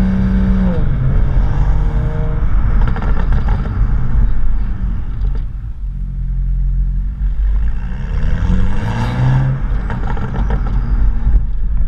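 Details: BMW M235i with HJS high-flow sports cat on standard exhaust and BMS tips: engine revs with a tinny buzzing vibration from the exhaust; inner clamps/clips in one BMS tip section had disintegrated and were rattling around.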